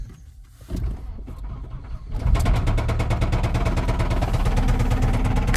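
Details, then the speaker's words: 1989 Volvo GL wagon, non-turbo B230 red block, driven with zero oil pressure and the oil light on. Engine catches, then heavy rapid knocking of about three per second rides over the idle: rod knock from oil-starved bearings. "oh it's already running prettyy [ __ ] I don't think we're going to make it very far guys"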